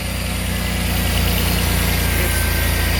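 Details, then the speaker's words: 1988 Pontiac Fiero Formula 2.8L V6 idling with a constant airy hiss, seemingly under or around the throttle body; owner suspects a vacuum leak, but spraying propane didn't change idle, source not found. "all right I think I have a vacuum leak here I'm not sure where or how to fix"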